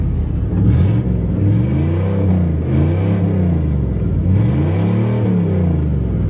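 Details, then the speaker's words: 1988 Chevy truck, just fired up, owner says bad crank and not to rev hard: revs rise and fall in gentle blips with deep rumble and knocking underneath; crankshaft knock. "Can't river too hard with a bad crank. Oh, listen to that knock. Knock, knock, knock, knock."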